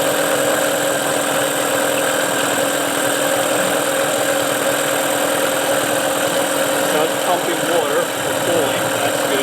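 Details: Tracker (Mercury Marine) 9.9HP outboard, unused a year, now restarted, off choke with idle adjustment on fast, some smoke burning off: steady, even buzz with constant pitch, no knocks or misses; running cleanly again.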